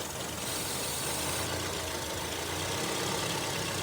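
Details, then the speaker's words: Honda CR-V Gen 3 idling: short aerosol hiss of MAF cleaner sprayed at the throttle body, and the idle note shifts, revealing a vacuum leak at the throttle body to intake manifold gasket. "So, that idle shift, that means that the gasket between the throttle body and the intake manifold is bad."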